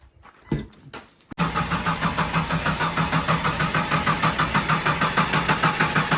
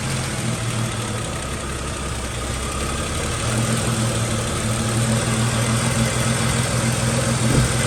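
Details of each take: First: Jeep Cherokee XJ with code P0340: steady, even cranking at about three beats a second after the key turns, but the engine never catches. Crank no start from a faulty camshaft position sensor (Mopar 4897023AA). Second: Jeep Cherokee XJ after replacing the camshaft position sensor for code P0340 (Mopar 4897023AA): the engine catches and settles into a steady, even low rumble with no misses, knocks or stumbles. Normal idle.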